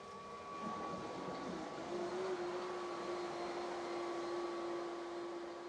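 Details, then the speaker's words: Pool and spa equipment system, spa jets on high: rushing hiss with wavering hum as jets gulp air because the water level is low after the system consumed tank water; spa jet air suction. "That noise is because my water levels a little low. So the jets right now are just just at the water level."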